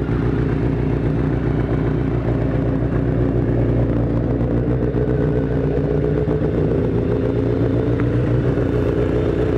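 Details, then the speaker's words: 1983 Kawasaki GPZ-550 garage find after carb rebuild with new float needle and seat, Kerker exhaust: inline-four idling steadily with smooth even burble, no knocks or stumbles; healthy. "okay so we got the bike running nicely it sounds fantastic everything's put back together"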